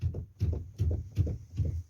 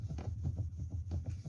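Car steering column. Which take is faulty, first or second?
first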